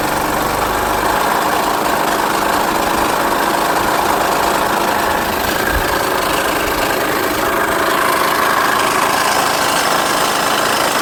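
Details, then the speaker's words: Engine with a check engine light: loud running with an irregular slapping knock about four per second over the idle, located in the timing belt area; belt possibly flopping against the cover, unconfirmed. "That noise is in the timing belt area. So we're going to have to take the timing covers off to see what's going on. It could be the belt flopping and whacking the cover."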